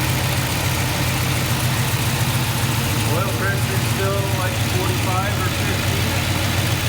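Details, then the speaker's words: Kaden's K5 Blazer on restart at 145° coolant after a loose spark plug was fixed and a hole plugged. Steady, even idle, a touch fast but acceptable, with no misfire or ticking. Fuel pressure reads 71 psi against an expected ~58. "okay it's still idling a little high but it's not terrible"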